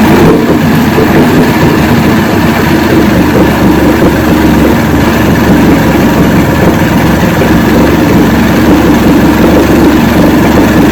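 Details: 1970 Evinrude 85hp outboard with hydroelectric shift, about 50 years old, new water pump impeller, first start with key ignition, electric choke not working. Steady, even two-stroke idle burble with no knocks, misses or surging; the motor runs.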